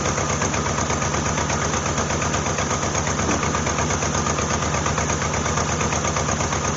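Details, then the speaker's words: 1988 Jeep Wrangler 2.5L four-cylinder running rough after several shop repairs: uneven, lumpy idle with a stumbling beat. A cylinder-by-cylinder check shows two cylinders working and two dead. "that one's working that one's working that one's not working that one's not working all right so we got two working we got two"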